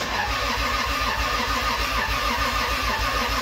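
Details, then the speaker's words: Toyota 2JZ-GE non-VVTi block with VVTi head in a 1995 240SX, new ECUMaster wiring, first start after giving it gas: engine catches and chugs unevenly, stumbling and loping rather than settling; running very rich. "[Music] no it was rich as hell all right"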